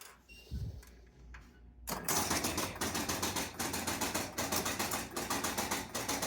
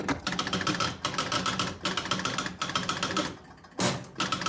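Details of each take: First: Jumping Jack pinball machine after cleaning switches on the W relay and a stuck-open bank of score reel switches; hum then quick clacks about once a second as reels and relays step: normal game start sequence. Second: Jumping Jack pinball machine; rapid relay chatter in bursts, kicker firing only every second or third time: outhole relay switch sparking and not making good contact, pressing it stops the spark.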